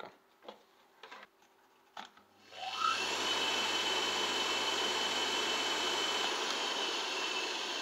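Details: Two-speed asynchronous motor from a Rainford/Indesit washing machine (type M12.93.01.45), on 220 V with a 12.5 µF capacitor on the high-speed winding rated 2820 rpm: after a few clicks it spins up to a smooth, steady hum and even high whine. Healthy run.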